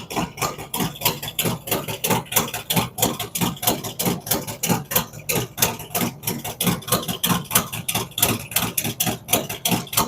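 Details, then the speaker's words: Freshly built cammed V-twin on initial idle tune, no throttle input, warming toward 180°; idle dropping as engine temperature rises, map spot on with small changes; lumpy loping idle about ninety beats a minute, steady, no knocks; normal idle. "the idle will drop down as the engine temperature comes up and we're spot on with the map it's only making small increments changes as it goes along"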